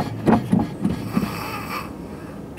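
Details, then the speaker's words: Tesla Model S, after about three full brake pedal presses: pedal thumps then soft electric hum for about 1.5–2 seconds as the brake booster vacuum pump kicks in; normal intermittent pump operation. "about three three full pumps I can hear the uh the brake booster vacuum pump kick in I don't know about a second and a half two seconds"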